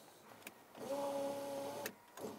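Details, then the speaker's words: 1971 Lamborghini Espada Series II V12 barn find, revival with no ignition or dash lights: electric window motor hums evenly about a second, steady pitch, no grinding or strain, sounds really smooth; normal power window operation. "is that electric window look the electric window works that is nice so that works that sounds really smooth"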